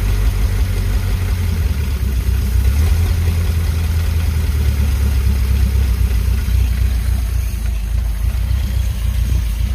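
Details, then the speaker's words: 1951 Pontiac Chieftain straight eight running for the first time, no radiator hooked up; deep, even low rumble with no misses or knocks. "yeah baby she's a [ __ ] Runner yeah W yeah I was definitely very excited when that happened"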